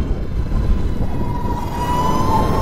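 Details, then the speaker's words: Sur-Ron electric bike ridden after chain-to-belt drive conversion with supermoto wheels; quiet smooth running, low rumble and faint steady squeal from worn brakes; belt drive much quieter than stock chain. "i mean it's quiet and the the slight sound you hear is from my brakes i need new brakes but"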